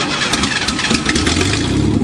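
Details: 1986 Ford Ranger after being swamped in a lake and drained: brief crank, then the engine catches and settles into an even idle with no misfire or knock; starting and running normally.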